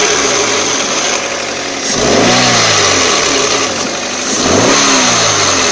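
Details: 2004 Toyota Corolla CE, manual, clutch at 146,000 miles, cold idle in neutral, clutch pedal released: thin steady high whine over the engine through two revs; stops with clutch pressed and once warm; owner hopes throwout bearing, not transmission.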